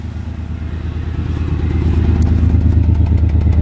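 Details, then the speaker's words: 1991 Ford Explorer, 4.0L V6, odometer 69,548 but reportedly 400,000+ miles, loud raw idle with deep uneven puffing about three per second; a hole in the muffler is leaking exhaust; owner suspects a rear cylinder missing. "Pretty loud. We got a hole in the muffler here."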